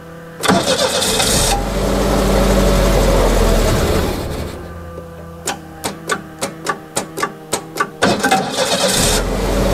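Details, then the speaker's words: 1989 Winnebago LeSharo RV after sitting abandoned: engine catches, runs rough about three seconds and dies, then cranks and briefly fires again; spark and fuel present, owner suspects MAP or speed sensor, or low fuel. "dying okay it runs for a little bit then dies so we might actually have a problem map sensor or speed sensor"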